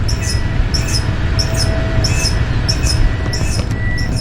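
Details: Toyota Tundra work truck, rear wheels jacked off ground, in drive; sharp high chirp repeating about every two-thirds of a second over drivetrain hum, confirmed from rear, with newly done rear pads; absent under braking or sharp turns; cause not yet found: rotational squeal.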